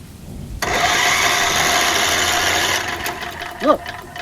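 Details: Free Tecumseh HH60 6HP horizontal-shaft tiller engine, its electric starter run on 12 volts from a jumper pack, whirs quickly and evenly with no slowing on compression strokes. The engine spins freely with no compression.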